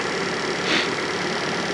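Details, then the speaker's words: Fiat Panda 4x4 Sisley after fuel injection work: the throttle body takes what it needs after 60 PSI. Steady, smooth idle hum with no knocks, misfires or hunting; running fine. "as you can hear it's running fine I'm happy with it"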